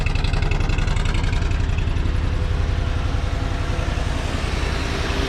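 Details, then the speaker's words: 1983 Ford F-150 XLT 5.0 with overdrive, running about three minutes on choke at fast idle; steady, even low thrum with no knocks or misses, oil pressure holding and charging; normal fast idle. "so she's been running for like three minutes now I still got the choke on but it's staying alive"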